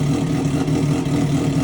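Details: Triumph Daytona 675 rebuild after a wreck, first start in 3 months, new mid pipe fitted but muffler left off (straight pipe): loud raw exhaust bark with a steady low throb and even pulses; runs cleanly.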